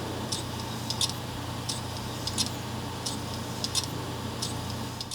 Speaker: But thats a dead harddrives Looks like I also have some drives that are causing this problem aswell as my software issues